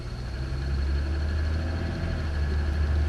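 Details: 2007 Toyota Sienna, still under powertrain warranty, cold-start idle: steady low drone with light quick ticking, owner's complaint on cold start; mic compared in engine compartment and inside, ticking persists — piston slap on cold engine.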